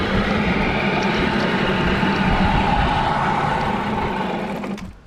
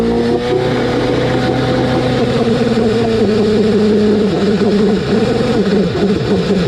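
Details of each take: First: Rebuilt Nissan Tohatsu 9.8 hp two-stroke outboard, new piston rings, new carburetor not yet set: buzzy fast, fairly even beat, then sags and dies near the end; idle and mixture still need adjusting. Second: Rebuilt Nissan Tohatsu 9.8 hp two-stroke outboard with new piston rings, first run after reassembly: screams at a high wavering pitch for seven seconds, uncontrollably over-revving to the rev limit, then cuts and winds down; cause not confirmed.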